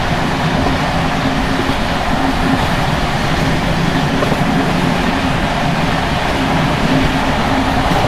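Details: Czech Bd264 481 coach (built 1979), Görlitz V bogies many kilometres since last major maintenance, evening express on uneven line 190 between Hluboká nad Vltavou and Číčenice: loud constant rumble and clatter over joints with loose metallic rattle as brake rigging bounces. Rattling brake rigging.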